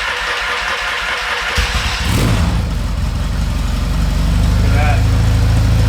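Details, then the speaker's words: 1970s Yamaha XS650 twin that sat 10 years, started in neutral without choke: catches after a short crank, settles into a firm even thump; sounds great; normal idle. "that wow look at that yeah this is pretty good okay that sounds great"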